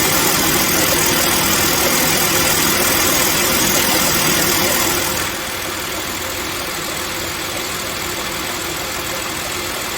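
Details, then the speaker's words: Car idling after replacing the belt, thermostat, radiator and water pump: soft regular thump about four times a second over steady idle, owner unaware; caused by uneven thickness on the new serpentine belt. "벨트가 돌아갈 때 턱, 턱, 턱 이런 소리였습니다. 벨트 돌아가는 소리가 왜 턱, 턱 하고 났을까?"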